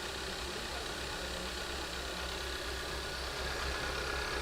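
Steady low engine idle with a fairly even beat and no obvious stumble; it is running smoother now, though the earlier fault remains unexplained.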